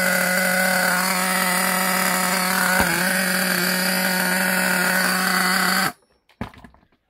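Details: New Gunner V3 small nitro engine during first break-in, high compression and a bit hard to start: high steady buzz at even pitch for about six seconds before throttle drops; healthy break-in run.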